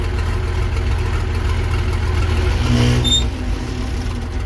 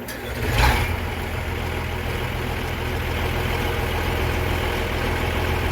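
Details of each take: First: Versatile 800 tractor diesel running with the old muffler removed: loud, raw, deep bark swelling briefly under load; unmuffled open exhaust. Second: Versatile 800 tractor diesel after fitting new muffler: catches quickly, steady even low idle, no blowing or rattling; normal idle, slightly better sound.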